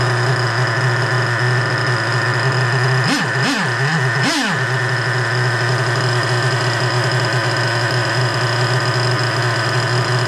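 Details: 3.3 engine after rebuild with both bearings replaced, idling after carburetor low- and high-speed screw adjustment: steady, even idle with a few brief throttle blips that return cleanly; carburetor now set right and idling well.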